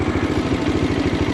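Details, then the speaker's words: Bajaj Dominar 400 motorcycle after start-up: the loud start-up ticking is gone, leaving a steady, even idle thump with no tapping; normal idle. "Ayun na yun. Pero tahimik na siya, wala na yung taka-taka-tak. Wala."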